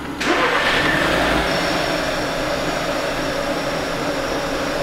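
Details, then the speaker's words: VW Touran 1.4 TSI, started cold after a replacement used sensor was fitted. The starter cranks, the engine catches quickly and settles into a steady, even idle without stalling. A normal start and idle. "Attends, sur N ça le fait? Ouais, N ça démarre, ouais, ça démarre."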